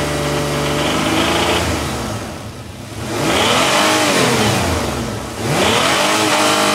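V6 idling then revved twice, pitch rising and falling; a faint knock under the rev noise, cause unclear.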